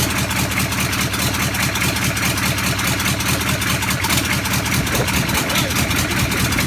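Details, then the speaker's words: Land Rover Defender V8 conversion, first run with no exhaust fitted and no coolant: loud crisp evenly spaced exhaust pulses at fast idle, no misses or knocks; described as one of the better engines heard run; normal running. "It actually works. That was incredible. That was one of the better engines that I've ever heard run."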